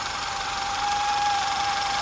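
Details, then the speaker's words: Audi with a TFSI direct-injection engine, check-engine light on, idling with the engine cover still fitted: a thin steady whistle, like something scraping (belt or pulley suspected), over an irregular, unstable idle. "Se vocês prestarem atenção aí, vocês vão ver que tem um barulho aí no motor, ó. E a marcha lenta, pessoal, ela tá irregular, ó. Não tá estável não, tá?"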